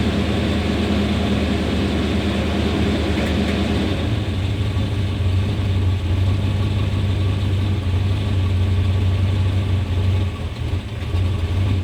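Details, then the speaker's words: 1991 Chevrolet Suburban V2500 4x4, 5.7L 350 V8, after new cap, rotor, ignition module, plug wires and fuel filter: deep uneven idle sags and labours when dropped into drive or reverse, as if starving for spark, stalls in gear; rough idle from faulty ignition coil. "and you can just see it was just it's like it's lacking power it's like not getting enough fuel or enough Spark"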